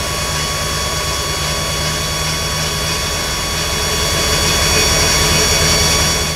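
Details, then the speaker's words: 1980 Ford Pinto, stock 2.3 L with Holley Sniper 2300 EFI: frame-mounted Holley electric fuel pump gives a loud, steady high whine above engine hum; owner suspects 3/8 line into 1/4 return adapters or scale from 40-year-old tank. "but this holley fuel pump is loud it is so loud that when I give people rides they almost inevitably ask me what's that sound"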